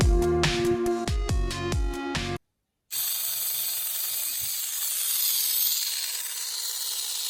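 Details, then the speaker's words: MA-030 Evo RC car after installing a 4100kV motor and front one-way differential: thin high-pitched scraping screech as the drivetrain spins; gear retaining screws protrude and scratch the front differential housing, later needing sanding, noise gone after break-in. "as you can hear there's definitely some screeching coming from the front differential area and at this point I realize that it's the screws that hold the gear to the front differential itself those screws are sticking out a little bit too far and they're actually scratching the front differential housing"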